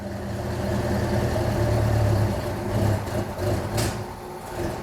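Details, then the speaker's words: 1972 Plymouth Duster V8 idling at about 70 psi oil pressure: a soft, lazy, dull, uneven beat with a compressor humming behind; very late ignition timing suspected, unconfirmed. "that just sounds like really late timing like really late but it's idling"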